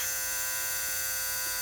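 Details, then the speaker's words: 2002 Mercedes SLK230, engine warm after a drive, key on engine off: steady high-pitched whining buzz at constant pitch from the front, seemingly near the bottom of the radiator; not the fan control unit or fan motor. Cause unconfirmed. "I'm getting a kind of a high-pitch screech, or screech isn't the right word, but kind of a squeal or buzz sound from the front."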